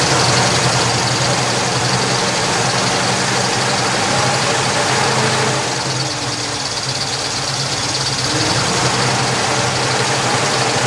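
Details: 1969 Chevrolet Camaro convertible, 350 small-block V8, 2.56 gears, stock-style mufflers, dual exhaust, heard from outside: steady, even idle with a deep, smooth exhaust burble, no knocks or misses; sounds healthy, normal idle.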